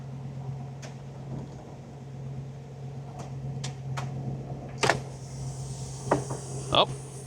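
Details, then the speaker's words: 1961 Buick LeSabre convertible, engine running after fuel line replacement; the top pump, which failed earlier possibly because of a bad battery, now hums steadily with clicks and clunks as the top lowers; normal convertible top pump operation. "So, uh I tried to take the top down before, but I think because the battery was bad, it didn't have enough uh juice. So, I was going to try it again. We'll see if it works."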